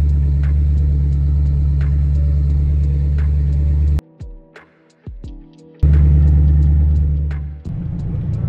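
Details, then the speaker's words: BMW N62 V8 idling choppily after new spark plugs, with coils checked good. A deep idle with a slightly uneven beat and a dip in level. Later vanos solenoid cleaning made it more responsive but did not fix the rough idle. "as the RPMs rough you can see the idle it's a little yeah it's a little choppy you can't really see it maybe you could hear it"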